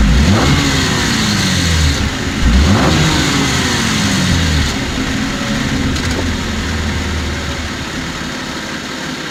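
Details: 2014 Cadillac CTS V-Sport, 61,000 miles, revved in neutral in driveway: thin tinny metallic rattle each time throttle is released, also on coming out of boost; suspected turbo, dealership found nothing.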